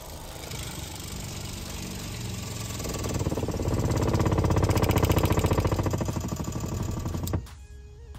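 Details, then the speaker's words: RV water pump, newly wired with crimps and temporarily mounted on wood, during a dump valve replacement: fast, steady pulsing hum near four beats a second builds, runs evenly, then shuts off cleanly; pressurizes normally. "Okay, turn off. Nice. All right, we have a functioning pump that pressurizes like it should."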